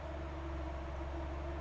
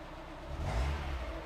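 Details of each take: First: Mazda Miata at start-up: steady, deep rumble with an unhurried firing beat and no misses, idling too slow; owner suspects the throttle was previously holding the valve open instead of the idle control valve. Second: Mazda Miata after an oil change (old filter suspected clogged, causing earlier valve tick), cranked with cam angle sensor unplugged to build oil pressure first, then started: short rev settles into an even low rumble, valve tick much improved, no tapping; normal running.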